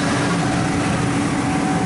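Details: 5.4 L V8 Ford E-150 van idling smoothly and evenly under loud shop background noise after a new ignition coil on cylinder three cured the misfire; no stumble or miss.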